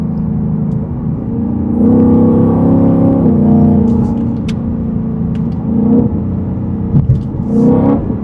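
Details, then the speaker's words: Shelby Super Snake with Stage 3 Whipple supercharger, heard from inside cabin after new carbon fiber intake and larger filter boxes: deep rumble under whine rising and falling with throttle; normal, louder supercharger whine plus intake noise. "I can hear the whine to the supercharger, and I can hear the intakes, the air intake filters as well. You can definitely hear more whine of the supercharger inside."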